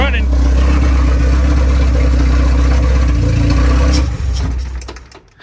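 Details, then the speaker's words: Honda B20 engine in an EF Civic build with an OBD0-to-OBD1 conversion, first runs. A deep, uneven idle pulse dies after a throttle blip. Owner suspects the unconnected MAP sensor or a vacuum leak. "died as soon as i give it gas maybe that's the fact that we don't have a map sensor connected or that we have a vacuum leak"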